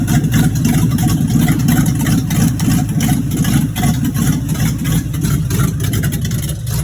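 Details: 1986 Chevrolet Monte Carlo SS V8 at idle, running about 3–4 minutes, with a fairly regular low knock at roughly three a second. Driven about three days with a bottom-end knock. Rod knock.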